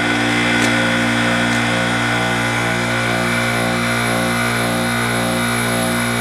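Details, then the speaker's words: Airtemp CIV08S2AC 7,600 BTU casement air conditioner just after compressor switch-on: steady loud hum, low even drone and faint refrigerant hiss, no knocks or rattles; it has a good charge and is already ice cold. Normal compressor running. "Alright, we've got a good charge. I can hear that gas going through there now."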